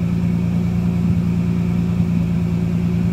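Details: Dodge Dakota just after engine replacement, at normal running temperature: steady, even low idle rumble with no knocks, misses or ticks; normal idle, though idle is said to sit slightly high.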